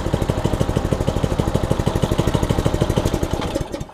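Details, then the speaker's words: Kiba 5.5 HP lawnmower engine on a homemade motorbike at idle. Loud single-cylinder chugging, uneven and shaky, fading near the end. Described as coarse and noisy. Rough idle, and the builder plans to swap to an electric motor. "Nah, kalau pakai mesin potong rumput, ya namanya juga mesin potong rumput ya, kasar, berisik."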